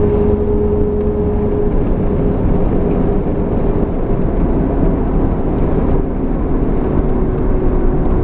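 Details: Pontiac Firebird Trans Am with posi/limited-slip rear differential; heavy droning drive noise with a faint steady hum sagging slightly in pitch under load; rear differential noise under load, cause suspected, not confirmed.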